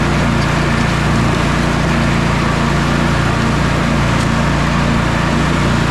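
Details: Sabre by John Deere twin lawn tractor after carburetor repairs and a new starter, final test drive: steady, even low drone with no misses, knocks or surging. Mowing and driving great; engine running great.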